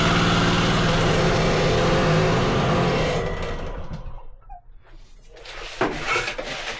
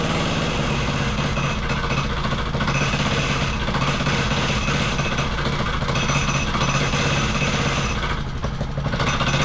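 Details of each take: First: Wacker plate compactor on starting: a fast, even roar instead of dropping to idle, then it fades away. The throttle had been turned up and the carburettor throttle is sticking and not closing. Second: Wacker Neuson VP1030 plate compactor after governor, throttle lockout and carb adjustment: steady low thudding over a constant engine drone. It whacks properly, though owner suspects worn clutch springs.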